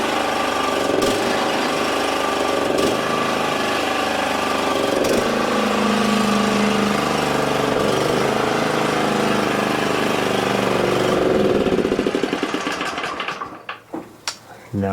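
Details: Exmark 21-inch commercial mower, after wheel work: even, rapid engine chatter runs steadily about twelve seconds then shuts down, with no grinding from the wheels; healthy.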